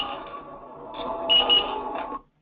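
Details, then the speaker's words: Blackline Loner M6 worn safety monitor, alert played through a laptop: a high-pitched chirp of about two seconds rising to two louder bright pulses. This is the optional lost-signal alarm warning that connection is lost. "hey you've lost connection think about you know do something about it so that notification alarm I'm just going to show you here what that what that sounds like"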